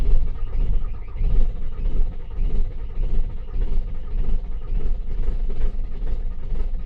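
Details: Ford Mondeo that won't start: low, uneven churning of the starter turning the engine over, pulsing with compression strokes, but it never fires; cranks, no start.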